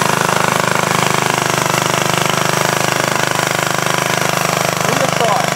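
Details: 1942 antique walk-behind tractor engine after head gasket work: slow single-cylinder beat, about two per second, with a hard knock on every stroke at steady speed; knocking, cause not pinned down.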